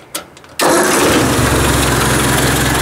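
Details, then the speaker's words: Ford 800 tractor with a new muffler: fires on the first crank, then settles into a smooth, even idle with no knocks or misses; normal start and idle. "lovely wow this just ticking like a top eh well not chicken that sounds really good actually it's running really nice"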